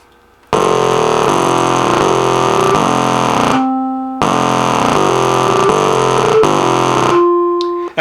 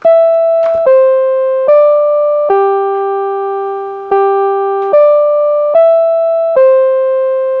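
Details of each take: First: NuTone LA60 musical door chime over 30 years old: harsh buzzy electronic drone with clicks replaces the tune, briefly broken by a clean note, as the song tries to play; fault is not the speaker cone. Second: Rebuilt NuTone LB55 electronic musical door chime, original speaker: eight clean, bell-like notes play a tune with no buzz or hum; normal after rebuild, buzzing fault was not the speaker cone.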